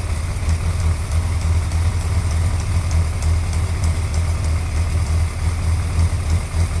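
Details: Suzuki GSXR 1100 motorcycle at a deep, uneven idle with a light, fast tick on top, roughly three a second; engine ticking, cause unclear.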